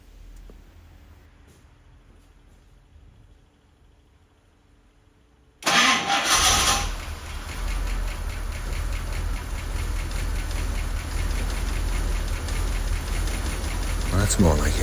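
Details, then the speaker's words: Rolls-Royce Corniche V8 after fixing two crossed B-bank ignition leads against the manual's firing order: it catches at once and settles into a steady, even idle with no misfire. "it it's good see the problem was you could hear it misfiring before I realized that I got two of the leads mixed up on the B bank and it's easily done"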